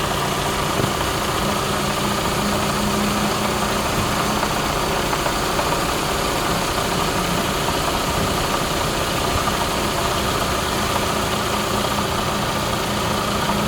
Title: Rattle noise 2017 camry se, any idea what is making the noise? Engine mounts & belt tensor replaced!